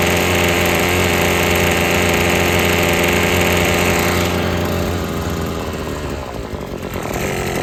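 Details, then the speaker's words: Husqvarna two-stroke string trimmer after the sticking trigger was freed and the carb adjusted: steady, even high-revving buzz that holds speed without surging, the line whistling; running properly. "All right, so you could hear how those RPMs are way up there now. You can hear that string whistling now."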